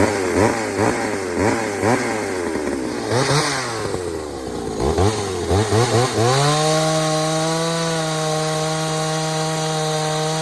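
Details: Pioneer 3270 chainsaw with a substitute carburetor, probably from a 60cc saw, safety chain, untuned: choppy revving settling into a high flat scream that never burbles; running lean, owner plans to fit a different carb.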